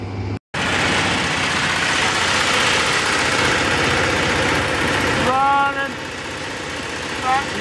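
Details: Generator on a 1986 Fleetwood Bounder motorhome, started through microwave diodes that drop voltage about 3–4 volts to the starter; loud steady roar with a fast even pulse settles slightly after five seconds, starts and keeps running normally.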